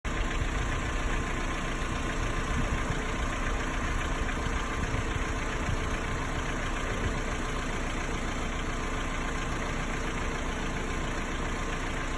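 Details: Hyundai G4KE engine, 214,000 km, always 5W30 oil, cylinders and head inspected fine: cold idle with steady run and faint rapid tapping over low rumble; knock of unknown cause, only when cold, gone when warm and under load.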